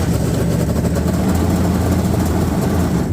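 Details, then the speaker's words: 1998 Yamaha GP1200 WaveRunner, 125 hours, just after engine installation: starts right up and settles into a steady, even two-stroke idle burble with no misses or knocks; owner suspects carb adjustment is needed because the high range seems to drop out. Normal idle. "starts right up, which I'm pleased with."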